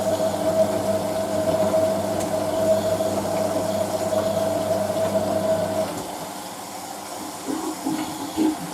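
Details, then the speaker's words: Hotpoint 9530 Electronic 1000 Plus washing machine, Programme 4, 50°C coloured synthetics, polyester/cotton load, draining before the first rinse: steady pump hum with gurgling, hissing water heard at the plug hole, fading out; normal drain. "That's the plug hole you can hear doing that, by the way. Basically, machine fills and then the pump comes on."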